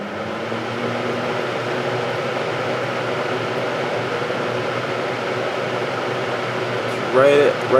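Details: Vintage 7-blade Hunter box fan starting on high after its motor was cleaned and oiled: steady low hum with an even airy whoosh, no knocks, rubbing or rattles; amp draw right at specification, motor runs smooth.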